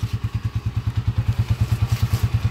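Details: TMX155 single-cylinder bike just after an engine overhaul, previously noisy from a worn timing gear, now in break-in: even, steady low thumping about nine beats per second with no knocks or ticks. A smooth, healthy idle.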